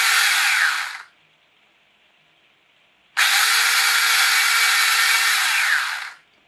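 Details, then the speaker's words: Monster High doll RC conversion with brushed motor, brushed ESC and new 3D-printed PLA gears, run on a 2S battery: two bursts of loud, high-pitched whirring that stay steady while the motor runs; the owner suspects the PLA gears; loud gear whine. "now before I finish this is incredibly noisy I don't know if it's because my new PLA gears and noisy"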